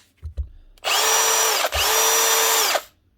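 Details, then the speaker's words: Milwaukee M18 BLPD2 cordless hammer drill from 2020: two clean trigger pulls, steady high whine spinning up fast; chuck, variable speed, forward/reverse, both gears, clutch, hammer mode all working. "chocks working variables working forward and back's working and the gearbox is working at both speeds and she is not slipping"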